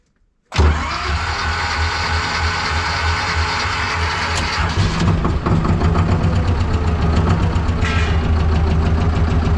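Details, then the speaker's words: T-16MG self-propelled chassis tractor diesel, winter cold start with decompressor and clutch pressed; silence, then fires at once and settles into a steady, fast clatter of about four beats a second; clean normal cold start. "тя замръзна добре и както виждате, започнахме без никакви проблеми, нека работи малко сега и ще си тръгнем"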